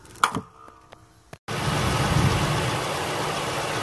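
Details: 2003 Ford F150 that had a surging idle, now after throttle body replacement (cleaning alone didn't fix it): a few clicks, then the engine settles into a steady, even idle with no surging.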